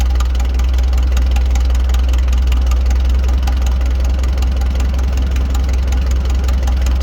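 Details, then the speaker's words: 1940 Farmall H four-cylinder tractor, straight pipes, after fixing stumbling and misses: it now idles loud and even with all four cylinders firing and no misses. "as you can hear the tractor is running way better we have all four cylinders now"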